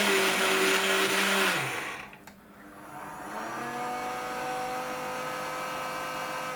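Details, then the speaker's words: Dapol Class 121 model loco, unused for a long time: smooth motor whine fades then winds back up with no gear or wheel noise; flywheel motor spins free because the driveshaft butterfly glue has failed, wheels not driven. "in the previous video you'll have seen my one two ones just spinning their engines and no wheels moving"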